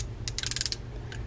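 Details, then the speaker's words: Olympic 500 fishing reel from a flea-market lot, turned by hand: uneven bursts of ticking and clicking with a catch in the rhythm; grease-choked reel skipping in its gears, likely a parts reel. "this one is it's definitely grease choked and when it's getting to the"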